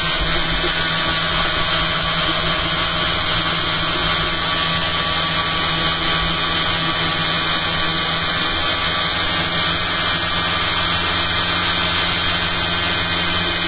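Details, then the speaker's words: Spinning rig with new eccentric bobbin and magnet holders, battery powered, 280 mA into a 6 V load: steady high rotor whine with a buzzing rattle from something loose; suspected magnets not set properly in the bobbin holder. Vibration. "There we go. That's better. Something's vibrating. It's this one."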